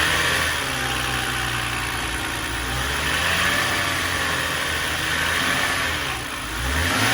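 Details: BMW E91 325xi with N52 at idle: a steady six-cylinder idle with a faint repeating tap in the low end; owner is unsure whether it is rod knock or a failed AC compressor.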